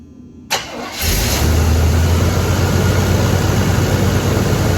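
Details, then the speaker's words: 1983 GMC K2500 Sierra Classic V8, barn-stored and unrun about five years, newer carb, fresh fuel, possibly little or no coolant; short crank, catches and holds slightly uneven low idle; carb jets may be gummed. "okay so she runs she idles might be some carb cleaning in the future if any of those jets got gummed up"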